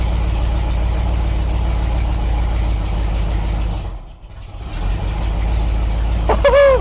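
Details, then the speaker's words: 1972 Ford Maverick Grabber, 302 V8; the starter sounds strained and the owner thinks the battery is weak. Once running, a steady, even low rumble with no knocks or ticks. Oil pressure good, smoke likely burning off; normal running. "You can hear the starter sounding pissed off. Yeah, I think it wants some more juice from the battery."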